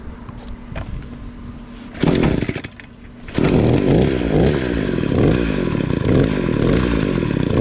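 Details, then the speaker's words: Echo SRM 266 trimmer after carburettor replacement: small two-stroke picks up crisply from rough low idle and holds a steady buzzing run without stumbling; normal running. "It was kept barking down, but other than that, I was able to get it fixed. I replaced that carburetor"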